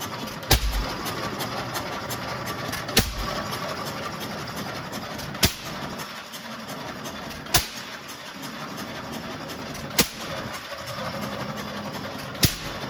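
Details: Restored Waterloo Boy 5 HP engine running for the first time after reassembly: a sharp firing bang about every two and a half seconds with quiet coasting between, a steady, healthy hit-and-miss rhythm.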